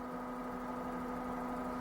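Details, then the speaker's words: 10-coil rotary magneto-type pulse motor charging a 1600Ah battery bank: steady even hum with fine rapid snapping from the trigger coil firing; normal running. "Can you hear that little ticking sound? That's the snapping of these coils. The trigger coil itself is making the snap sound."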